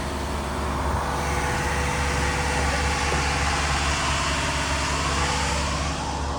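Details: Diesel-driven fire sprinkler pump on its weekly half-hour test run with the isolation valve closed: a steady, even diesel drone holding constant speed under load, without knocks, surges or misses; the engine is healthy.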